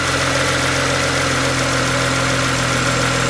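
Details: BMW E90 335xi after cylinder 1 misfire (P0301) diagnosis and spark plug change, no fault codes; smooth, even idle with steady low hum, no stumbles or skips.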